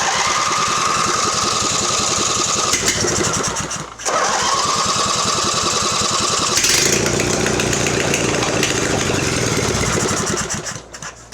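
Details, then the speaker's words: Mastercraft (MTD) 46" riding mower, Briggs twin, long unused, fuel poured into carb bowl: catches and runs rough and uneven several seconds, then dies; owner suspects gummed carburetor needing overhaul, unconfirmed. "I think we're going to need to overhaul that carburetor, but it has been sitting for so long that I think that carb is going to be gummed up, but I don't know for sure."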